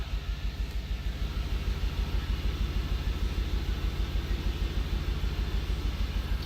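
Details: 2003 Audi RS6 V8 after ECM replacement, idling with a steady lumpy beat about three times a second; misfires on cylinders 2 and 7 blamed on the ECM.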